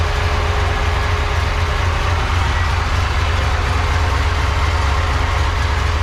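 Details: Supercharged 1976 Chevrolet Corvette C3, just revived after years off the road, heard from outside: steady low idle rumble with a thin constant supercharger whine on top. Noisy supercharger; it shows vacuum but little boost.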